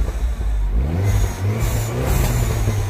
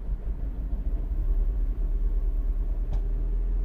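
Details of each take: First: 2009 Mini Cooper S R56 1.6 turbo petrol with high-pressure fuel faults (error 2880) and rough running: the engine now climbs smoothly from idle on throttle with a clean, even note and no stumbling or misfire. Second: 2009 Mini Cooper S R56, 1.6 turbo petrol, code 2880: rail pressure stuck at 0.76 bar against 5–6 bar demanded. A rough, uneven idle with stumbles and an exhaust rattle: misfiring all over from low fuel rail pressure.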